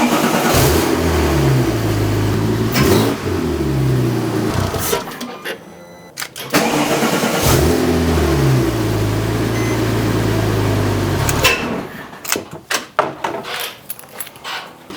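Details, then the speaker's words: Rebuilding crashed Porsche 997 911 Turbo running without intercoolers and intake piping; cranks, catches and revs briefly, then dies away twice and won't hold idle; owner suspects the missing intake parts, no codes. "t fine but after a few seconds and that really varied it would shut off and I assume this is because of the lack of intercoolers and intake piping"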